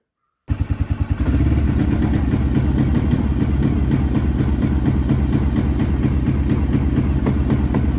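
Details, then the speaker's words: 1996 Arctic Cat Bearcat 454 ATV, road driving: engine catches, stutters, then runs choppy and breaks up just off idle like a very low rev limiter; ignition cutout later traced to brake switch wiring. "as you can see it it runs like it's got a like a rev limiter set really low"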